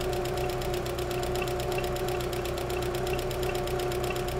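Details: VW Corrado G60 engine, hot, after reassembly (previously ran badly at cold idle, ignition acting up): fast even light ticking, about six or seven a second, over steady idle, lifter later found faulty; hydraulic lifter tick.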